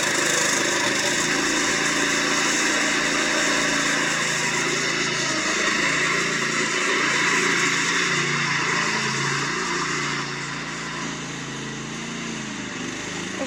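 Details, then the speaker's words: Fairly new lawnmower run with the mower deck off after checks: high, wavering pitch that dips and hunts now and then; intermittent misfire, better than yesterday, choke clears it, owner suspects a fuel problem. "okay so still doing it once in a while it's not as bad but as soon as I choke it it actually helps because it almost it clears it for some reason and then it starts to running normal so weird it's almost got to be a fuel problem"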